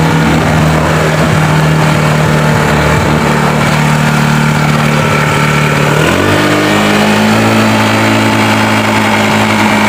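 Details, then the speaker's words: Honda Beat FI that kick-starts very heavy and puts out thick white exhaust smoke: loud rough idle with low drone, then pitch rises with revs; mechanic suspects a worn decompression lever on the rocker arm, to be built up. "Terus saat motor ini kita bunyikan keluar asap di area lubang knalpot, itu amat tebal bro, keluar asap putih."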